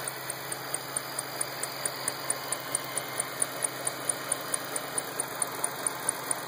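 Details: 2008 Shelby GT500 engine ticking at idle: crisp, even valvetrain-type tick around 133 per minute over a smooth quiet idle; cause suspected, not confirmed.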